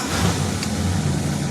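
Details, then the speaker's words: 1966 Plymouth Fury II cold start after cleaning a fouled spark plug: smooth even low rumble at idle with no skips or shaking; previous misfire resolved, running cleanly. "It's not misfiring anymore. She feels like she's running perfect. I think we literally resolved our misfire just by cleaning up a spark plug."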